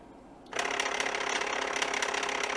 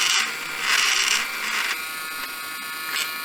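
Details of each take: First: Samsung Jet 90 Pet turbo brush motor run from a bench power supply at 15 V, then 10 V: starts abruptly, then a steady rattly gear whir with fine clicking, weaker at the lower voltage; fault not evident. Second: Samsung Jet 90 Pet vacuum turbo brush after disassembly and reassembly, with the belt possibly worn and awaiting replacement: even high buzz with short louder surges, no grinding or rattle; the loud whirring is gone and noise is significantly improved.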